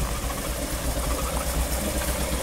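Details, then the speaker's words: 1959 Mercury Monterey V8, revived after a decade asleep, restarted after sitting: steady even idle, not smoking, with a faint chirpy squeak and puffing from a known exhaust leak; hanger still missing. "that little squeak from the exhaust most of this noise you hear is from this exhaust"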